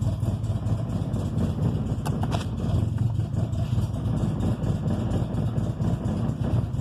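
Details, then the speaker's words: 1995 EG Civic coupe, engine still cold after a hard start: low, uneven idle that stumbles and wavers, revs up normally then drops and runs rough; rough cold idle, fine once warm, cause unknown. "See, it revs up there and runs normal, and then it goes back down and runs like shit."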